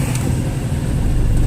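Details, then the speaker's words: Dodge Neon after lower motor mount replacement, engine dropped into gear at standstill: smooth, even low rumble with no shake or rattle, previous noise and vibration gone; new mount holding it quietly. "Much better. Before you could hear it making all this noise. Yes, that took care of that."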